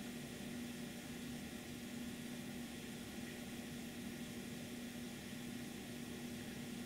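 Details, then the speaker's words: Residual noise of the phono stage, before any SP capacitor pack is fitted: steady, even hiss with a faint low hum underneath and no crackle; normal hiss with some hum. "there is hum and there's also a lot of rush which"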